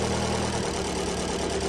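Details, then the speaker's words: 2014 Dodge Dart 2.4L MultiAir, about 101,000 miles, shaking and running rough: idling engine with an uneven misfire beat that stops and restarts as the cylinder 3 connector/wiring is pushed forward and back, an intermittent single-cylinder misfire (codes P0303, P103B, P1043, P1069). "all right so right there's number three I'm going to push forward on it oh look at that just as soon as I pushed it forward now I'm going to push back quit Miss firing"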